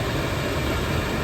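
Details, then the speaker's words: Quadrafire fan on a Quadrafire Discovery 1 EPA wood stove, first firing, set to high: loud steady rushing roar with even low hum, no rattles or surges; pretty loud but running normally. "It's the Quadrafire fan. It's on high, low. Let's put it on high for now. Wow, pretty loud."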